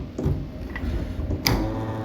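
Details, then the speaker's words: Microwave oven that had been making loud noise; cooling fan turned by hand: dry, uneven ticking and scraping that slows as it coasts, identified as the fan motor's bearing noise. "यह देखें यह जो आवाज आ रही है आपको य इसकी बेरिंग की है यही आवाज कर रहा है"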